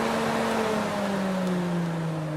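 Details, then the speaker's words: Fiat Tipo radiator cooling fan after cleaning, lubrication and brush service; it was previously noisy and heavy from dirt inside: a smooth electric whir of rushing air with no rattle or plastic noise. The fan now runs normally. "que show que ficou e ela não faz barulho nenhuma é só o vento mesmo e bastante vento mesmo"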